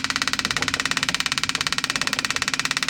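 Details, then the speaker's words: 1977 Dodge motor home with 440 engine, revived after sitting for years, fuel pump wired to a boat tank: sharp regular clatter about three and a half per second, much louder than it should be while priming; cause unclear. "it's a little bit loud I don't know if it's picking up right now oh that guy is so loud it shouldn't be that loud when it picks up"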